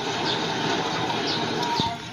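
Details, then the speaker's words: Car humming from the front while driving: front wheel bearing spun by hand gives a rough, gritty rumble with a dry scraping edge, a worn bearing after water got in, worse under load. "so yan yung tunog ng pasa ng bearing umuugong na yan siya lalo na pag may load guys"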